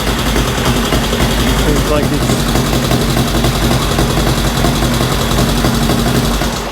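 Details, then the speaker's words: 1965 Honda CL77 305 Scrambler twin, restored, first start in several years after fogging oil, choke just taken off: fairly even, lumpy idle with steady low thump, no knocks or rattles; normal idle, sounds pretty good. "let's take the choke off sounds pretty good sounds pretty good"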